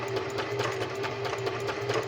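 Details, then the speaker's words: Singer sewing machine running after its routine 6-monthly cleaning and maintenance, sewing fabric hands-free: even, quick stitching ticks over a smooth motor hum, steady rhythm without knocks; it purrs, running normally. "You hear how it purrs?"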